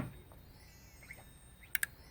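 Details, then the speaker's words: JBL EON315 powered speaker, no power then no sound fault, after power board repaired: two crisp relay clicks over quiet hiss at switch-on, showing supply rails present; sound still absent, input stage checked next. "so let me turn it on and you can hear the relay clicks"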